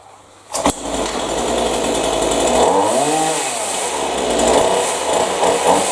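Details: Chainsaw after high-speed carburetor adjustment made without the special tool to cure bogging: picks up cleanly, holds strong steady buzz, dips briefly and recovers without bogging; sounds healthy and well tuned.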